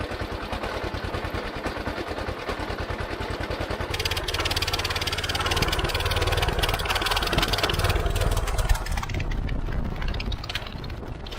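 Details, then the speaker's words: Old Howard Gem rotary hoe single after freeing stuck valves, fitted with a Honda Fourtrax muffler: quick steady thumps then an even drone under load, about 70 dB, like a quad bike; running fine. "that's uh loaded down to around 70 decibels which i'm pretty happy with you don't really even need earmuffs now it just sounds like a quad bike really so that's perfect now"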